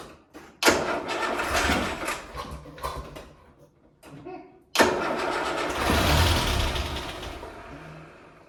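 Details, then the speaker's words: Land Rover Series 3 after head gasket replacement, first start in months, weak battery: cranking uneven and labouring, stumbling and dragging before catching; starter motor suspected faulty, works well intermittently. "I think there's something definitely wrong with my starter motor. Does not sound good."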